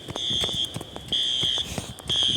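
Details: False fire alarm at Briggs Village Apartments in Olympia, WA, on System Sensor horn strobes: loud high-pitched horn pulsing about half a second on and off. The system was tripped by a heat detector problem, not by a fire.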